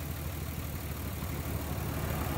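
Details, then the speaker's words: 1994-1999 Nissan Maxima with three coil packs, misfiring: low uneven idle that shakes and stumbles; unplugging the bad coil changes nothing, unplugging a good one makes it run much worse; failed ignition coil pack. "The way you can tell is you hear how it's running now. You take this off and it runs the same. Okay, now if I take another one off, see, it runs a lot different. It runs a lot worse."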